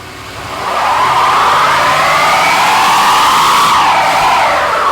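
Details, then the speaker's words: 1972 Chevelle with a Turbo 350 transmission, revived after sitting 24 years, doing a burnout: the engine roars while a wavering, oddly hollow high squeal comes from spinning the 24-year-old rear tires. "That sounded like a jetsons car. That was the weirdest-sounding burnout ever."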